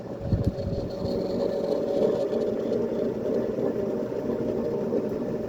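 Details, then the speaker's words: 56-inch Dayton/Sanyo industrial ceiling fan at high speed: constant raspy rumble under a steady mid-pitched whine that gets louder as it speeds up; worn motor bearings, awaiting replacement. "Excited to get new bearings in this thing, because I'd really like to get a chance to hear the motor on this without the bearing noise, because it has a really notable loud whine to it as it speeds up."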